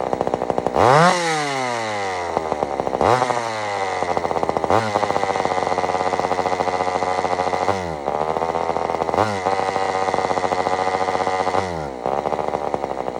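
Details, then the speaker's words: Old Sears Explorer II two-stroke chainsaw after carburetor cleaning: surges up and sags back, rough and uneven with a rattly exhaust edge; carburetor mixture out of tune and muffler falling off. "now first off this Muffler is falling off which I don't don't think that's normal for a muffler just to start falling off"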